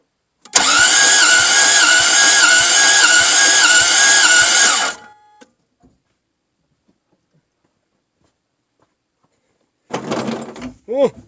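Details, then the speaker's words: Toyota MR2 AW11 compression test: even starter cranking for about four seconds. The cylinder reads only 90 even with oil added, low compression, with stuck rings suspected. "so this cylinder even with oil is 90. stuck Rings is definitely a possibility"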